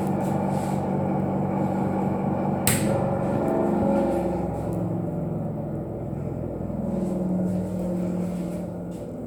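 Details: Restroom exhaust fan: steady hum with a rough, uneven knocking about four times a second riding on it. Exhaust fan abnormal noise.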